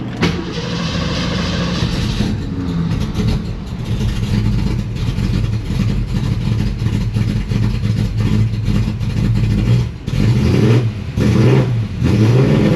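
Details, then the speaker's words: Carbureted Mustang during AC recharge: catches and settles into low idle, then note sags and shifts as AC compressor engages, belt heard; idle change from compressor load. "Nope. The compressor went on. I heard the belt go."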